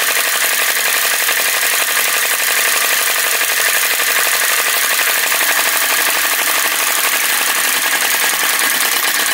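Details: Retro VE-01 crossbeam flame licker vacuum engine after pulling the wick out for a bigger flame: quick, even hiss and patter with no stumbling or misses. Running steadily and normally, sounds better straight away.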